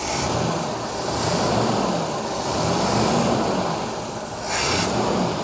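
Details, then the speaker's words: 1969 Cadillac Eldorado with 472 V8 and 21,000 original miles, sat 20 years, first start after fitting a new fuel pump, metal line and pre-pump filter: smooth throttle blips with a deep, even exhaust and no misses or knocks; normal revving. "go ahead man that runs so good I cannot believe that all right give her a little bit of the beans"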